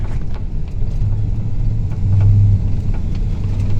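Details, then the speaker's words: 1992 Ford F250 with E4OD transmission (rebuilt 2003, about 30,000 miles, new vehicle speed sensor, Mercon LV fluid), driving: engine rumble rises and falls as it shifts too early from third to fourth and hunts back and forth around 30 mph, losing power; cause unknown. "And it's just back and forth at about 30 miles an hour. It keeps wanting to do that, and I can't figure out what it is."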